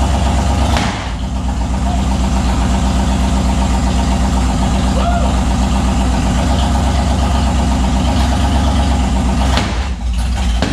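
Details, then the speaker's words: Turbo 5.3 LS-swapped Mustang: loud, lumpy idle with an uneven beat and stumbling pulses instead of a steady rhythm; misfire from ignition coil wiring plugged in reversed. "you almost think like a wire wasn't on the right place or something but i checked it like three times last night"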